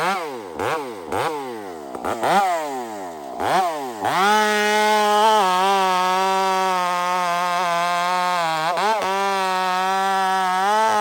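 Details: Stock chainsaw on 44:1 mix with aftermarket muffler fitted, cutting; blips up and down, then settles into a steady high drone, slightly soft and blubbery under load; running fat, carburetor too rich.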